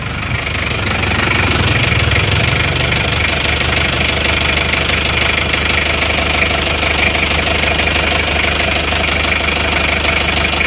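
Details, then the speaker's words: Isuzu Panther 2.3 diesel after heavy smoke from under the engine was cured, warm with thermostat fitted: steady clatter at even idle, no surging; only faint smoke, normal idle. "aman gak ada asapnya asapnya tipis-tipis banget walaupun mesin sudah panas"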